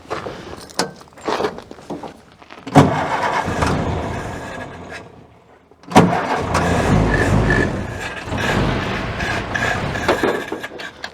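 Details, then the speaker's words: Ford-script Willys WWII army Jeep with the air cleaner off: it catches in short bursts, then dies and stalls when the throttle is released and won't hold an idle; dirt is suspected of blocking the carburettor idle circuit. "I'm not going to be able to keep it going."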